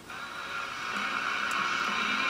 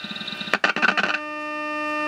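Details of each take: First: GE tube radio at about 97.6 V and 190 mA: faint station audio buried in hiss jumps louder when an extra AM antenna wire is added; the fault lies in the RF front end before the 12BE6 first stage. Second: GE tube radio running about 97.6 volts, 455 kHz signal injected into pin 5 of the 12BE6: brief crackly burst, then a clean steady pure tone without warble; the IF stage works fine.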